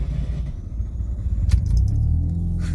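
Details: 1993 Mazda RX-7 FD rotary (about 426 rwhp) with new RX-8 starter and Antigravity lithium battery, hot start after driving: brief starter whirr, then it fires quickly and settles into a steady low burble; clean, prompt hot start.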